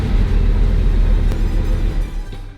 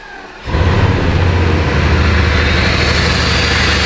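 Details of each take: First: Bugatti Veyron restarted after a DIY oil service and coil pack swap: a deep, lumpy rumble with uneven thumping, running on a couple of cylinders. Every dash light is on, the engine light flashes, and a scan shows multiple cylinder misfires. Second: Bugatti Veyron cold start after swapping mass airflow sensors into housings: engine catches quickly and settles into a steady, even idle with no misses, knocks or hunting; much smoother than before, healthy cold start.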